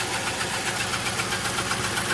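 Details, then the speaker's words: 1999 Lincoln Town Car V8 with codes for misfire on cylinders 4–8 and bank 1 and 2 lean, which appeared all at once: an uneven, stumbling, sputtering idle with an irregular chuffing beat and missing pulses. Multi-cylinder misfire and rough idle. "The noise is coming from here. From this area at least. Yeah, that's different. See, it's still sputtering."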